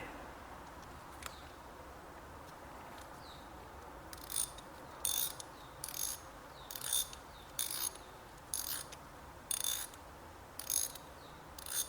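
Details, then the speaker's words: Ratchet wrench: bright, fast, crisp, even clicking bursts about once a second, quiet and normal. "I like this little click on this one but it's not loud"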